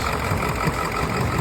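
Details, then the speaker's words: Ford F-350 ambulance, 7.3L HEUI Powerstroke diesel, sat a year with crank/no-start, new fuel filter, started with starting fluid: lumpy, loping idle with irregular thumps, several cylinders missing; injector driver module codes, cause unconfirmed. "but 7.3 what do we say is running like a 4.2 it doesn't run good"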